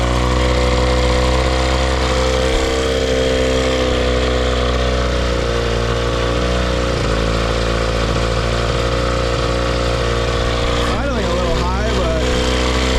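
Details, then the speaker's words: Cheap two-stroke outboard started with starting fluid, possibly spider nests, needs carburetor work: steady, fast, even idle with no dip; idle set too high, to be backed off. "Yeah, I'm going to have to lower this idle."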